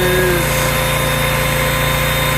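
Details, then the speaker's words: Generator rescued from the trash and repaired, loaded by a vacuum cleaner with output dropping to just over 100 volts. An even, steady drone with a fast, regular firing beat and no misses or knocks; it runs strong. "dropping to about 100 volts a little bit over but she's running pretty strong engine sounds good"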